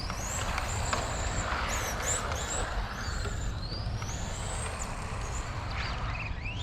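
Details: XRAY FK05 RC car with 13.5T brushless motor: high-pitched whine rising and falling with speed over steady running noise, from the motor or drivetrain.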